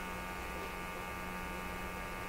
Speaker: And I'm sure that buzz is the sweep generator sweeping. I've got it going 10 milliseconds to sweep across the band. It's very, very fast.